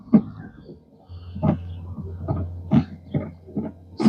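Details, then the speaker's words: 2016 Equinox, Chinese replacement windshield wiper motor just installed: low hum with loud uneven groaning squawks about every 1.5 seconds, coming from the motor itself, which sounds terrible. "Chinese is that just a motor making that noise [Music] that sounds terrible terrible"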